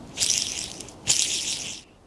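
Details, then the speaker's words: Clarkson Mk1 tool and cutter grinder motor, shaft spun by hand after removal: dry, gritty hiss and rasp fading as it slows. Outboard bearing completely gone, inboard one also worn. Worn ball bearing. "Yeah, the outboard bearings completely gone."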